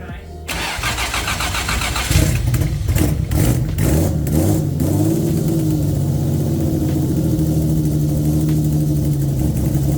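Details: Loud project car on its wiring harness before a planned custom harness: final start with the starter cranking a few seconds, then the engine catches, blips up and settles to a loud, even idle with no misfire; runs normally.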